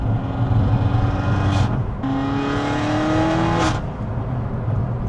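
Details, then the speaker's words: Peugeot 308 GTi driving after decat downpipe install: deep loud booming note climbing through each rev, dropping, climbing again, with pops; louder than expected, owner wants it quieter; no engine light. "[ __ ] hell's belt. I thought it'd be at least a bit quieter."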